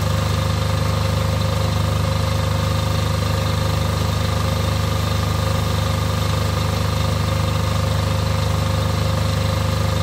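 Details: Off-grid diesel generator after a service for fuel problems that made it cut out, test-run briefly before load testing: steady, even diesel thrum with no lumpiness or misfires, running smoother than before; normal diesel idle.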